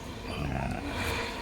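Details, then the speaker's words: Honda Vario 125 after replacing the large and small bearings on the rear CVT pulley: rear wheel spun by hand gives an even, steady whir with no grinding or "srok srok" roughness; bearings now smooth. "sudah halus tidak ada bunyi kerosok-kerrosok"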